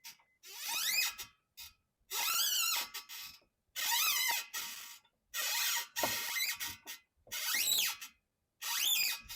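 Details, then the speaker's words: 2002 Acura TL-S with the steering wheel being turned: high, creaky squeaks rising and falling in pitch with each turn. Likely a ball joint lacking lubrication, fixed with silicone spray; the squeak returned after about 8 months. "does your car's suspension squeak like this one going over bumps or does it perhaps also squeak when turning the steering wheel"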